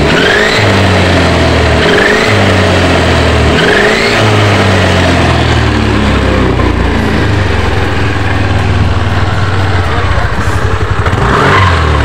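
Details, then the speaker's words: Yamaha NMAX scooter test-run: rising high whine ("nguing") from the rear climbs with each throttle blip; on teardown the gearbox gears were found worn, fix is replacing the gearbox gear set. "Oke ternyata setelah saya tes untuk motornya bunyi nguing ya di bagian belakang di mana problemnya di mana trouelnya"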